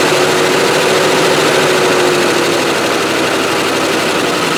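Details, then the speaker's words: Range Rover that would not start the previous day now starts: loud, rough clattering at idle, about three beats a second; possibly something catching on the fan. "Success. Makes a bit of a racket though. How odd! Yesterday wouldn't start, today it starts."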